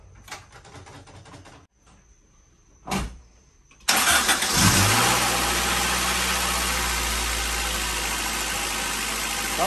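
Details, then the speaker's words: Honda B-series engine started after replacing the distributor O-ring and inner seal for an oil leak. Cranks a few seconds, catches and settles to a smooth steady idle with no misfire; timing confirmed good. Normal idle. "good. Don't sound like she's misfiring, so that's a good sign."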